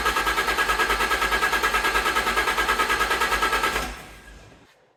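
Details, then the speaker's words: Fiat Coupe after restoration, fuel drained then system reassembled: starter churns steadily about three beats a second but engine never catches and dies away; pump runs but no fuel delivered. Crank no-start from fuel starvation. "the fuel pump has decided it's working but the car doesn't want to give it Power by the look of it so I'll give up"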